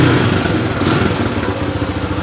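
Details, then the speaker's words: Suzuki DR100 dirt bike with a just-rebuilt carburetor idling evenly and steadily with no stumbles, purring like a kitten. "Look at that. Purring like a kitten."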